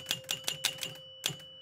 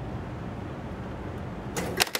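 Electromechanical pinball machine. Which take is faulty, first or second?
second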